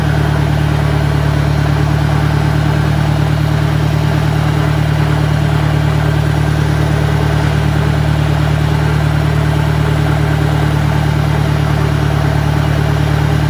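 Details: 1965 John Deere 1010 with suspect maintenance, Stanley muffler, about 1000 rpm in first gear: a constant low drone and steady hum; the gearbox is noisier than it should be and than the 1963's, cause not pinned down.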